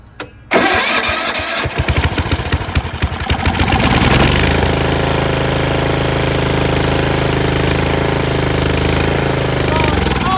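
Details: Yard Machines 38" riding mower, 13.5 HP Tecumseh engine: cranks briefly, catches within a couple of seconds, settles into steady even idle, no misses; normal running. Owner suspects possible carb issue after an earlier stall.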